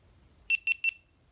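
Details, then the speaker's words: GoPro camera in housing being switched on, battery low: three quick, high, evenly spaced beeps in under half a second; normal power-on signal. "I'll make a beeping noise apparently."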